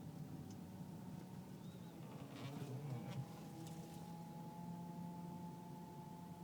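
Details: Car whining when turning left or right below 10 mph, less at high speed; power steering fluid full, no leaks or foam, slight jump in reservoir, belt normal: steady fairly quiet whine over soft hum; pump or rack suspected, unconfirmed.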